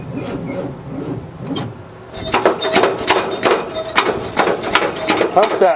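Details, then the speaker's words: Loader first start since 2001 on a makeshift battery hookup: slow, laboured, tight cranking in uneven bursts that never catches. Owner is unsure whether it is a battery connection or a seizing engine. "that bitch. She's awful tight. Well, I think I gotta see if it's a battery connection or a seizing motor."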